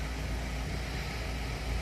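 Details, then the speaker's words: Fiat 1.4 Fire engine after replacing the oil filter, which had caused a squealing bearing-like noise; steady even low idle rumble, no ticking or rattle — normal idle. "Eu troquei o fio de combustível, como falei, e realmente o barulho parou. O barulho era no filtro mesmo."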